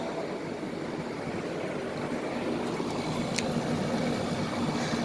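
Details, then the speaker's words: Soleus Air ductless heat pump outdoor unit starting up: steady even whoosh of fan and compressor, no knocks, rattles or squeals; suction line cold, normal startup. "suction line buzzer sound sounds good I won't that rattle yes it's uh it's working"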